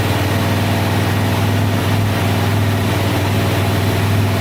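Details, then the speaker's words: Single-cylinder quad after repair of bent valves (suspected skipped timing; piston, rings, cylinder undamaged), started to warm up: steady low idle thump, no knocking, tapping or misses, no leaks yet; normal idle. "everything works the way it should so this thing's ready to rip ready to go let's quick start it up one more time just to let it warm up"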